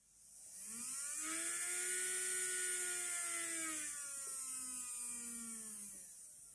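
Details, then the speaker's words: Hornby J15 model locomotive motor run free with worm gear removed, after running-in got noisier: high whirring buzz swelling and sagging in pitch; noise is from the motor, not the gears. "So I've removed the worm gear so I can run the motor on its own, and that's telling me it's a noisy motor. It's got nothing to do with the gears."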